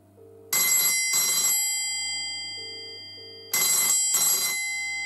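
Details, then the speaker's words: 1985 BT Special Range push-button Mickey Mouse telephone ringer demonstration: quick double rings, bright metallic clanging, even and strong, a little clunky; ringer working normally. "so there we go and as you can hear it's a little bit clunky but it's definitely about"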